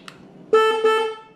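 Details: Wrecked 2013 Harley-Davidson Electra Glide Classic being rebuilt, electrics checked after the inner fairing install: loud, clear steady-pitch horn, one long blast then a quick second push; horn works normally.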